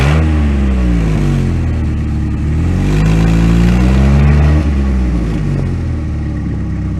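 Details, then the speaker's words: 1998 Sunfire before an OEM muffler replacement: the engine revs up and down with a deep, raspy, overly loud exhaust drone from the worn-out muffler. "so muffler needs to be replaced and I think we are just doing an OEM up worth today we're just sawing off the old one and putting on a new OEM right"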